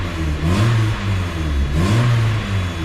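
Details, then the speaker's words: 1997 Mazda Miata with newly installed replacement engine, EGR blocked off: engine blips up and back down twice, smooth and even, revs well; only a very light typical Miata lifter tick at startup that goes away once warm. "Revs well. Sounds good. Has a very, very, very light, typical Miata lifter tick at startup, but other than that though, like, that's it."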